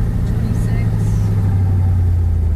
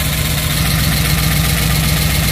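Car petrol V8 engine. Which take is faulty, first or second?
second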